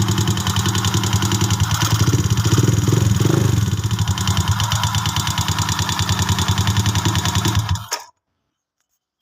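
Motorcycle engine ticking at about three and a half beats a second, fairly steady over the idle until shutdown: a mechanical top-end or bottom-end noise, source unclear.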